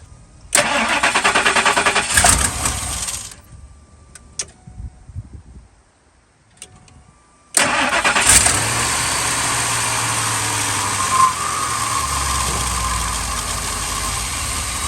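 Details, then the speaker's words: 2000 Ford F250 with 5.4 2V gasoline V8, cold start in freezing weather after sitting a few days: cranks and catches, then lumpy uneven idle before settling; fine once warm; IAC valve and throttle body suspected; rough idle on cold start. "this thing is not running great um well upon idle once it warm up it's fine"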